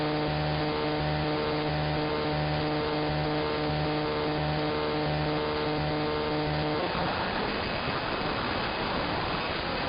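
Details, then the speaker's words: AM radio interference heard across the entire AM band, suspected electromechanical from a nearby industrial park. A buzzing motor-like drone of stacked tones shifts down in stages like gears, then drops to hiss. "But you can tell it sounds like it's a motor of some kind. Here we go. And you can tell when it's shifting down, it sounds like a motor in stages."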